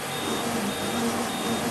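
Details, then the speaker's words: Okuma DCC-15 CNC lathe mill drill tap center, used on aluminum, Z-axis traverse at 50% rapid: smooth steady hum and faint even servo whine, no clanks or grinding; healthy. "Yeah, it's very nice and smooth motion, no clanks, nothing. It's in very nice shape machine, as you can see it right now."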